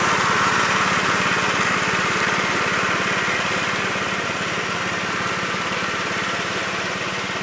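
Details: 1969 Gravely C8 walk-behind tractor after repair of no-high-range fault (drove only in low range, stop-and-go in high); morning start-up, even single-cylinder putter about three and a half beats a second, no knocks or misses; running normally.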